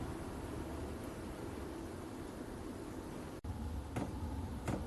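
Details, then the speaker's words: VEVOR 8 kW diesel air heater starting after pump priming; low steady fan hum, then soft clicks about every second as fuel pump pulses with glow plug, burner firing; normal start-up. "so it's starting to get the pump going so it's basically the pump and the glow plugs pulsing so yeah she's firing up you can hear the fan pumping the heat through the burn is roaring"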